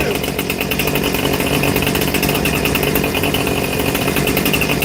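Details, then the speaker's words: New Husqvarna 460 Rancher chainsaw, freshly started out of the box and apparently already tuned: a crisp, even two-stroke buzz holding a steady high speed with no stumbling or misfire. It runs normally. "Sounds like it's running really good right out the box. So, that's that's nice."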